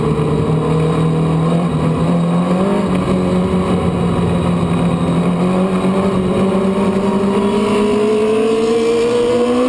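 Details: Race car (new Bullrider) in a heat race: slowly rising, flat engine drone with no sharp rev response, no snap; fuel pressure gauge showed a dying fuel pump.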